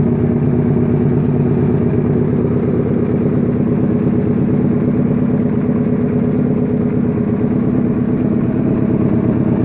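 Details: Suzuki SV650 supertwin self-build project, start-up after rebuild: steady loping V-twin idle with even pulse, no stumbling or dying; freshly built engine idles normally.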